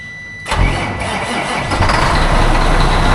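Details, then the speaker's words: Semi truck diesel started on a cold, icy December morning after being plugged into its block heater: brief crank, catches at once and settles into a steady, even rumble; normal cold start. "That started really well. I'm guessing that block heater did its job."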